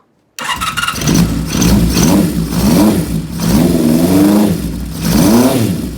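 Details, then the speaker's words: Honda CB550 with newly installed Dyna-S ignition, filters refitted, on a temporary fuel bag, catches quickly and takes repeated throttle blips with pitch climbing and falling cleanly; it runs fine and needs only minor carb tuning. "Alright, let's see what this thing sounds like. Sounds pretty good."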